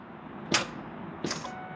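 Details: 1998 Ford F150 abandoned about 17–20 years, battery fitted, dash lit: two sharp clicks about three-quarters of a second apart, no cranking; fan doesn't move, engine suspected not turning, cause unconfirmed.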